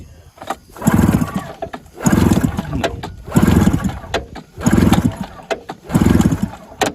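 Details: 1980 Yamaha Enticer 340 snowmobile after sitting for years: repeated pull-start cranking bursts about every 1.5 seconds, turns over but never fires; owners suspect no spark or low compression, perhaps mouse-nest overheating, unconfirmed.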